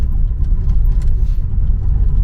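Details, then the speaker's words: Turbocharged engine started cold in South Carolina, misfire persisting after warm-up: lumpy, surging idle with irregular dips and stumbles, misfiring under any throttle and popping out the tailpipe under boost; fix not yet known. "And it has a really surging idle to it, and if you were giving it any amount of throttle, it would just misfire, and if you let it make any boost, it just was shooting ducks out the tailpipe."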